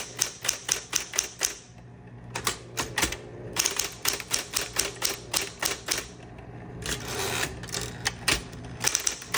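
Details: 1960s green Smith Corona Electra 120 electric typewriter demo, tab set: crisp, even key strikes at brisk pace with short carriage pauses and steady motor hum; working normally.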